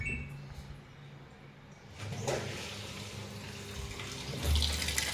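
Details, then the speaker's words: Washing machine that was not taking water, after cleaning and refitting the inlet filter; tap on, water hisses and gushes steadily into the drum with no sputtering or valve buzz; normal water inlet fill. "बघा व्यवस्थितपणे पाणी चालू झाले आहे."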